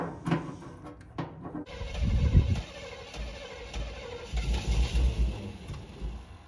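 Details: 1990s Chevy 350 5.7 V8 campervan: starter churns in short bursts, engine turns over but never catches; crank, no start, owner believes it's a simple fix, cause not yet confirmed.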